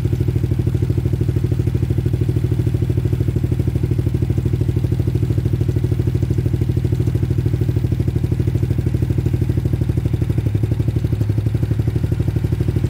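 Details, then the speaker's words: Trailmaster Challenger 300 go-kart side-by-side single after replacing the broken carburetor and adjusting it; idles on its own with a steady, fast, even pulse around three per second, running really smooth. "and now it's it's on by itself it's running on really smooth"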